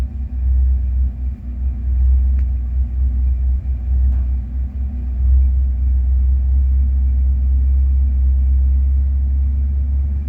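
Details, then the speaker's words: 1988 Ford F150 with the 5.0 V8 and manual transmission, foot off the gas: deep V8 idle rumble that slowly builds and holds higher with no throttle input; idle creeping up while it smells rich. Cause unknown. "slowly starting to climb what I don't know my foot is not on the gas"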